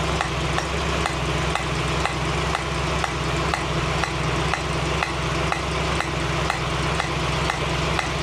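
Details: 1965 Mustang GT Convertible V8 idling after installing a Tuff Stuff 7068K 140 A alternator, fan on: a new steady sizzling hiss with faint ticks about twice a second from the carburetor area; cause unexplained.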